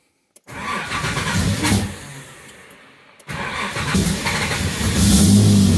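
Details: Nissan Z31 on a freshly installed MegaSquirt MS3 Gold Box with base settings, after a relay wiring fix and with no cam fault: it cranks, catches and runs on its own with a few rev blips over a steady low rumble.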